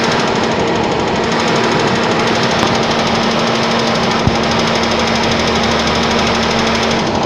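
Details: Suzuki Vitara on a cold start: loud, fast, even clatter over a steady engine note; persistent knock, source not yet clear.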